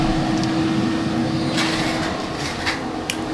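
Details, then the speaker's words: Homemade 12 V fan setup, temporarily wired, used to control humidity in a fish house; steady, even fan hum with a constant whoosh of good, even airflow and no rattle; running normally. "so when you're coming in you can hear the fin a little bit obviously it's sunny and there is really good air flow coming out of there"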